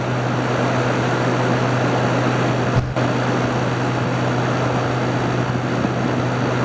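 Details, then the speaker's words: Haier ESA410J-RGB 10,000 BTU window AC cooling, ice-cold airflow, fan shown and called very powerful: smooth even whoosh with a steady low hum, no rattles or ticks; fan running healthy. "Very very very powerful."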